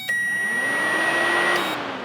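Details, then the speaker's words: Power Probe 3 energizing the cooling fan relay: a sharp click, then cooling fans whir up steadily under a thin high tone before cutting off and spinning down, showing relay and fans work. "And that's showing that the relay works and the fan works."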